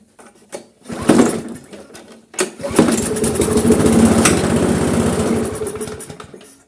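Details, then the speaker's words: Briggs & Stratton carbureted engine with primer pump on a GGP (ex-Castelgarden) mower, before repair: pull-start catches, runs a few seconds then fades and dies; stalls after starting, often worn carburettor diaphragms. "Voilà, ça démarre, mais ça cale. On y retourne. C'est une panne assez courante sur ce genre de moteur."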